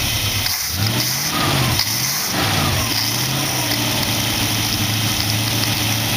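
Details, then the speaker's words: Dual-quad carbureted V8 in a 1914 vehicle build, after the carb's possibly plugged passages were cleaned because it had been puking fuel. A few throttle blips, then an even, steady idle with no stumble, hunting or misfire. Air screws now respond. Normal idle. "Idling alright. See if I can bring this to idle. Started right there. Air screws are affecting it. Not really pouring fuel into it."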